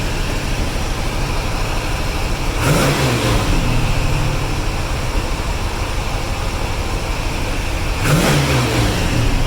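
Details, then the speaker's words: 1982 Corvette with Crossfire fuel injection, cold; fast idle that won't drop, brief rough popping bursts, running on maybe six or seven of eight cylinders, runs well once warm. High idle with sputtering, cause unknown. "the car is not running right it's running on probably half of its cylinders maybe six seven of the eight and once the car gets warm it'll run good"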